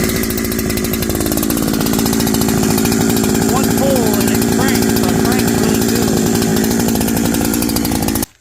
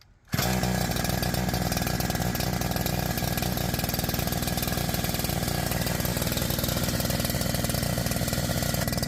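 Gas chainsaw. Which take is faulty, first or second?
second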